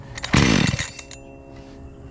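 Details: Makita EA3200S chainsaw that ran fine before a year of shelf storage; after priming with choke on, it catches for about half a second with a sharp burst then dies to silence.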